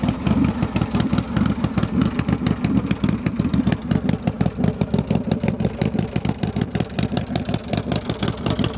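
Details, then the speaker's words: 2000 Big Dog Bulldog custom chopper, 12,360 miles, V-twin with S&S carb and choke, starts right up: lumpy, regular potato-beat idle with even pulses, no misses or clatter; healthy. "Go ahead and start it up. It does have the choke right there. It's got the S&S carb. starts right up."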